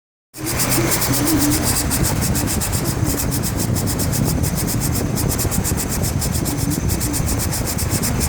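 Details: 2004 Chevrolet Trailblazer LT 4.2 i6 running: a constant scraping grind only when the AC compressor clutch engages. With a new bearing it is silent with the AC off. The owner suspects a rough edge on the clutch sticking on the pulley.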